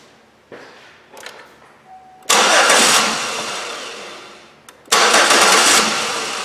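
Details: Chevrolet Impala (about 2011), towed in, crank no start, fuel pressure gauge fitted: two bursts of steady cranking that never catch; low fuel pressure (around 5 psi), fuel pump suspected, relay checked next.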